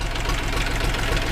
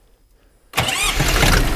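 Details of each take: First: Minitractor engine (KM380/KM385/LL380 type) just after valve adjustment, at idle, knock clearer from behind the radiator: light metallic tapping about four times a second over the idle; cause not found, power loss also noted. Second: Minitractor diesel engine (KM380/KM385/LL380 type) just after full valve adjustment, not yet fully warmed, possibly air left in fuel: cranks, catches quickly, settles into steady even clatter with no misses or knocks; normal idle.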